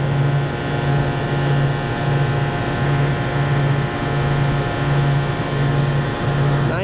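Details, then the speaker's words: Walk-in freezer compressor after repair of exploded start components, suspected caused by a burnt-off wire: starts fine and runs with a steady, even hum and no knocks or clicks; normal. "so you can hear the compressor's running start it up just fine"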